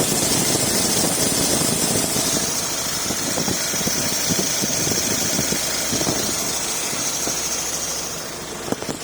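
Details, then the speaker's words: Audi Q5 2.0 turbo idling after water pump replacement: constant high-pitched hiss and chatter over the engine from a noisy accessory drive belt; plan to remove the belt and treat it with 303 rubber protectant. "but this build here is very noisy so i want to take this out take the belt out tomorrow and soak it with rubber rubber key the special 303 stuff"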